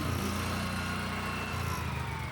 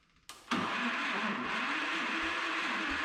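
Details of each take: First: 1976 Power King tractor with weighted rear tires, started before plowing snow: small single-cylinder thumping at a steady, even beat with no misses or knocks; runs great, normal running. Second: Old single-cylinder engine with a breakerless ignition and a compression release below 600 rpm, fired briefly. A dull knock repeats about every half second over the running engine because the ignition pickup strikes the flywheel in one spot.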